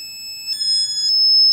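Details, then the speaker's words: Shadow detector tested against a red laser about six feet away. A thin, high electronic beep starts after half a second and wavers unevenly in pitch while the light comes on sporadically: erratic beeping. "as i turn it on you will be able to see what happens sporadic light again nothing even the tone is sporadic"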